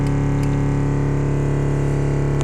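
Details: Alpine MRX-M240 amp on the bench after a burnt fuse contact was cleaned, fixing output that cut out. Supply about 13.9 V with a 10 A charger, gain turned up. Clean, steady deep bass tone, no crackle or cutting out: normal output.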